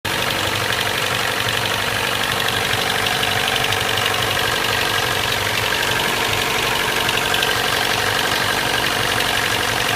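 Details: Corolla Fielder ZZE124, 1ZZ-FE engine with abnormal noise: steady idle with a fast, uneven knock about four a second over busy top-end clatter; possible bearing knock, unconfirmed.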